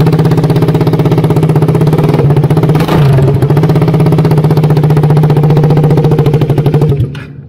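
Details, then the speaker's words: KTM Duke 200 with China-made exhaust link pipe snapped at the weld: very loud raw bark about four pulses a second, deep like open headers or a tank; exhaust escaping straight from the engine, risking head burn. "Bunyi memang macam nak meletup Jadi sebab apa dia tak ada bom ke, dia tak ada apa-apa, dia straight je daripada enjin. Sebab dia bunyi dia macam kereta kebal."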